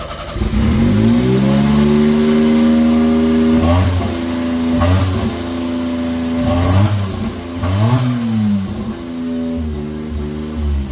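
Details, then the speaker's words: Honda Beat PP1 with an E07Z turbo swap on a Link ECU, first start: high idle with a wandering pitch that rises and dips every few seconds from many vacuum leaks; the smoke test failed, suspected intake manifold or injector O-rings. "so it's got a high idle like I said we don't uh we've got a ton of vacuum leaks"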